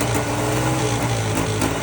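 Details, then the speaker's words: Polaris Trail Boss 350 quad revived after 15 years: steady low drone with gritty scraping grind underneath, like something ground up inside the transmission cover; rear end removed to open the cover. "I got this damned old ass end off this rig so I so I can get this transmission cover thing off cuz it sounds like mice are in there getting ground up"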